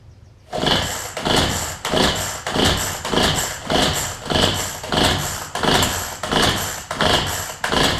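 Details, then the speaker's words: Cheap string trimmer being revived after fuel-line work. Repeated pulls each give a short sputtering burst about every two-thirds of a second that dies away; it never catches and runs. Cause not confirmed. "so let's just hey we had nothing to lose right doesn't seem like she wants to go way too much"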